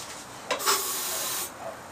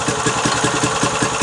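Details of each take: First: Briggs & Stratton 3.5 hp single, probably over 10 years old: clanks, then runs a few seconds on sprayed ether, revs rising unevenly, then dies; carburettor suspected blocked by stale gas, later cleaned and jammed choke fixed. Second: Briggs & Stratton 3.5 hp single, likely little-used, after carburettor clean, started with ether: quick even putter, no misses or knocks; smoked a bit at start-up, oil still clean, runs well.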